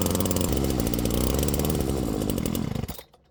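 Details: Flymo Maxi Trim 430 strimmer after carburettor cleaning and fuel metering diaphragm replacement, first start before tuning: small two-stroke revs high with burbly, uneven note then cuts out; smells and sounds rich, mixture to be leaned.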